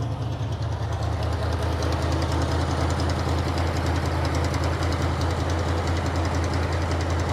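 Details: 1957 Dodge Texan after first start from sitting since July 2023: deep lumpy hunting idle pulsing about three times a second; carburetor squirting from only one jet, probably a huge vacuum leak because its body is loose on the base.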